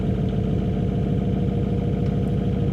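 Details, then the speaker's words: 2004 GMC Sierra idling after new injectors were installed with updated injector data, before its turbo is added: a fast, even, constant ticking clatter from the loud injectors. "I've been driving the truck for a couple days and everything's great, but the injectors are freaking loud."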